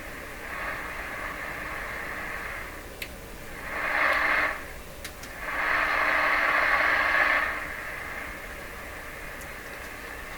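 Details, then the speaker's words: Johnson Messenger CB radio during receiver IF alignment (455 kHz IF, crystal-controlled local oscillator), switched to antenna input with no antenna connected: steady speaker hiss and static swelling in two bursts as volume is turned up. "seems like I gotta turn the volume up a long ways here doesn't sound right because they have no antenna whatsoever on it right now"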